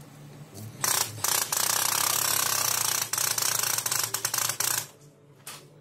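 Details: Kyocera M2540-family printer: loud, harsh, irregular crackling and knocking from the fuser drive while running, felt through the housing; fuser drive gear skipping because the lower gear axle had 1–1.5 mm play, cured by replacing the drive assembly.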